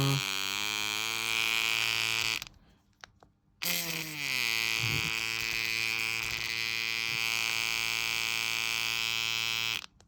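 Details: Ambition Ninja Pro tattoo machine, set to about 5, which started crackling after two days of use; the replacement motor section did the same. A steady high buzz that briefly cuts out, with a rough crackly edge; the motor is poorly fixed and loose.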